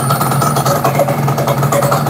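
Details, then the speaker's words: Yamaha RXZ two-stroke, ignition converted to a mini coil/magnet with Catalyst wiring and CDI; it had been hard to start: a steady, even buzz, no misfires, though the engine sounds unusual. "Tapi engine motor ini lain macam lah bunyinya."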